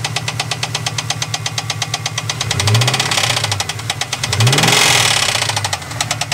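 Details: 1998 Trans Am, LS1 V8: hard, even knocking near three per second that speeds up when the throttle is blipped, a bottom-end knock; owner suspects a rod bearing, not confirmed.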